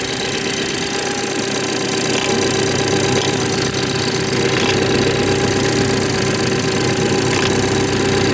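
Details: BMW 430i xDrive, B46/B48 4-cylinder, right after a cold start in cold weather: fast light ticking over a steady tone at idle; an unusual noise whose cause is not identified.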